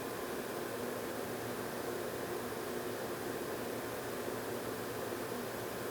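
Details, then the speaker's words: Germ Guardian AC4825 True HEPA air purifier measured about 62–64 dB on medium; even, steady airy whoosh with no rattle, ticking or pitch wobble. Normal operation. "So we're getting about mid-50s. Now my voice is affecting it, so we have low 50s for, it's very quiet on low."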